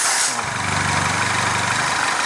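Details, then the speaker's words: Citroën C4 Lounge THP turbo petrol at idle: fast steady chirp like a squealing belt, caused by a ruptured PCV diaphragm in the valve cover building crankcase pressure; oil cap hard to pull, air sucked after shutdown. "Ele dá o grilo e ele gera tanta pressão ali dentro que fica ruim até de tu puxar a tampa do óleo."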